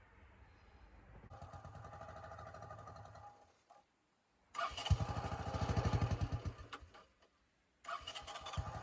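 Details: 1984 Honda 200M barn find, after replacing many parts and fitting a new fuel line and filter. Single-cylinder thumping at a steady beat in short runs, even with no knocks or misses. It runs well and normally.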